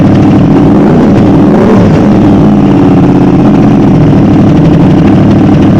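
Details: Modified Aprilia RS660 running cold on the newly loaded remap: loud, even idle with crisp throttle blips that rise and settle cleanly without hesitation; normal running, and a later scan showed no engine fault codes.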